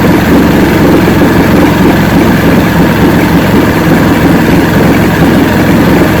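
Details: 1970 85hp Evinrude two-stroke outboard with hydroelectric shift, 50 years old, new water pump impeller, idling in neutral in a water container: loud steady low burble, even beat, no knocks or misses; carburetors judged good at idle, full throttle untested.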